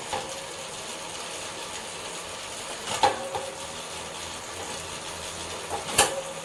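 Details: SRAM Force AXS chain and cassette: steady rattling whir from the drivetrain with a sharp click about every three seconds; owner finds the noise abnormally loud, cause unconfirmed.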